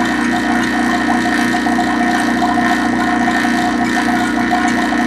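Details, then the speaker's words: Vacuum pump evacuating a reach-in condensing unit after compressor replacement, thumb over pump outlet, low side pulling down toward 500 microns: steady even motor drone with light rattly hum, no stumbling or surging; normal vacuum pump operation. "so I put my thumb over the outlet of the back your pump and you can hear that coming out and you can also see"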